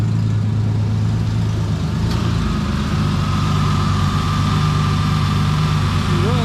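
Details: 2006 Mustang freshly fitted with a 4.0 from a 2007 (the original's timing slides failed), just started and not yet warmed up: smooth, even idle, a low steady hum with no ticking or knocking; normal idle.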